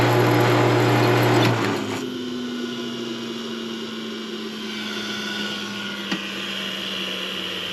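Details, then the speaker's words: Copper King scrap-wire stripper drive motor run alone with the belt pulled off: steady smooth hum at an even pitch, no knocking or grinding. The motor is fine, and the remaining noise is suspected to come from the machine's lower bearings. "Okay, the motor sounds good."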